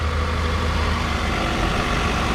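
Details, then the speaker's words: 2008 Toyota Camry LE, 2.4-litre four-cylinder, 80,000 miles, check engine light on: even, steady idle with a smooth low hum and no ticking, misses or rough patches; engine sounds healthy at normal idle. "and this one sounds like it's running smoothly"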